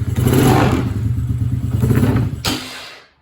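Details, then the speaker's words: Coleman UT125 quad, started with choke on after sealing intake with dielectric grease and adding some oil to the cylinder: small revs with an uneven throaty blat, then clean shutoff; runs fine, smoking from the added oil. "hey sounds pretty nice"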